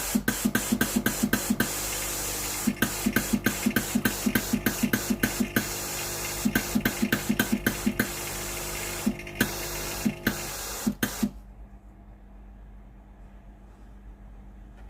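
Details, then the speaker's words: Philips GC9682/80 steam iron after replacing the faulty relay, soleplate now hot and ready: steam button pressed, fast steady pump ticking about four a second for eleven seconds, then faint hiss; steam comes out normally, no more water drips. "ไอน้ำออกหน้าเตาปกติแล้วนะครับไม่ออกเป็นหยดน้ำแล้ว"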